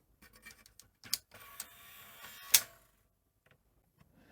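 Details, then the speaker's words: Sony SL-C6 Mark II Betamax front loader fails to eject; soft clicks and brief motor whirr as loader cycles, tape-down fine; eject sense switch bent or misaligned, stuck closed. "I'd say there's something wrong somewhere with either the alignment of the switches or something isn't quite right there or the switch just isn't working um but tape Down's fine it's just the uh eject"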